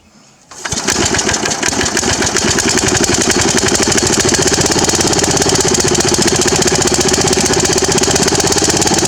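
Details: Murray riding mower, pull-started with no battery after coil swapped from another mower and new gas tank fitted, cowling off: catches within a second, settles into steady even fast beat, no misses; runs cleanly.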